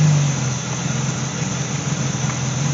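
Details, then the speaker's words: BMW Z3/E36 petrol engine idling during oil change with oil filler cap off: steady low drone wavering and stumbling; rough idle as PCV system detects crankcase vacuum leak through open filler. "these cars are real sensitive didn't like the fact that i had the oil cover off of it so it started running rough because it detected a leak in the engine"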